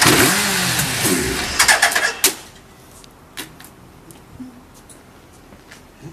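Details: Suzuki GSX1300R Hayabusa at 9,007 km, with compression measured: about two seconds of cranking with a few sharp firing pops, then it dies, because the faulty fuel pump delivers no fuel. Fuel pump failure; only first firing.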